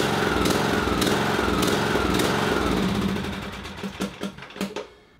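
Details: Briggs & Stratton 17.5 HP mower engine surging/hunting up and down about twice a second, then sputtering; caused by clogged carburetor pilot jet, fixed by cleaning.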